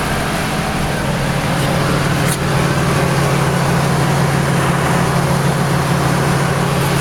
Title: Engine Knock Gone